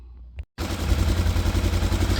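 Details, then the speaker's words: Polaris Ranger 900 engine after rebuild (was knocking, not running), retimed to true TDC mark after zero compression: catches after a short crank and settles into a fast, even, thumping idle with no knock; normal idle. "Alrighty, just like that, back in there, runs, sounds great."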